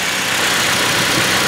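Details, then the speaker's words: Toyota Tacoma engine just after an oil change, idling at about 1000 rpm with the oil pressure light out: a smooth, even hum with no knocks, ticks or misses, running healthy. "we're up nominal idle at about a thousand rpm oil pressure warning light has extinguished everything sounds normal and that's good"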